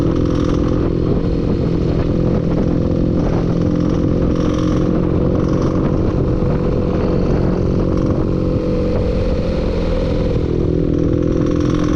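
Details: Loud running engine with a rough, fast clatter on top throughout, no let-up; audible engine knock, cause unknown.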